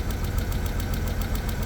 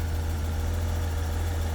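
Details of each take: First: 1991 BMW 750iL storage-unit find, started through an ignition bypass: a lumpy, uneven idle with ticking pulses and an odd noise near the mass airflow sensor, but no check engine light. A misfire; owner will check for vacuum leaks and the spark plugs. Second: 1991 BMW 750iL V12 after the coil pack fix, check engine light cleared: it has a deep, steady, low idle with no misses, knocks or ticks, a normal idle.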